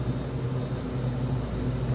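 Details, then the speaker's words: Type 2 refrigeration system being liquid-charged through the wide-open high side of the manifold after recovery and evacuation, weighed on a scale: steady low rush of refrigerant with no surging or sputter as it flows into the system, charging normally. "So I'm going to open up this high side. It's wide open. You can hear that refrigerant rushing into that system."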